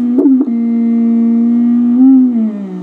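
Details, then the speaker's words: Heathkit VF-1 tube VFO, original tube model before solid-state conversion, heard on a receiver tuned back and forth while keyed; steady tone with a low growling buzz under it, plus chirps and clicks; power supply hum on the VFO signal. "That low growl. I'm turning the turning the receiver back and forth so you can hear it better."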